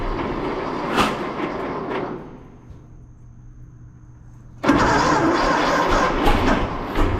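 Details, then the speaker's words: 1926 Seagrave city service ladder truck, 1013 cu in "F" six-cylinder, first start in 10+ years after long sitting, fuel fed to carburetor; uneven firing bursts die to near silence, then catch and stumble, flooded with too much gas; owner also suspects a valve stuck open. "she wants to go i think we got too much gas so i'm gonna i'm gonna stem the tide of fuel here"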